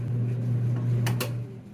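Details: GE dryer that would not start, after replacing the bad timer (rounded-off timer shaft, knob fine); steady low motor hum with a couple of light clicks near the end as it starts and stops via the knob; normal running.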